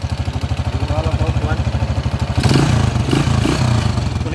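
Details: TMX155 single-cylinder motorcycle engine after timing gear replacement, still noisy: fast rattling clatter at idle, louder with throttle blip; loose timing gear with excessive play.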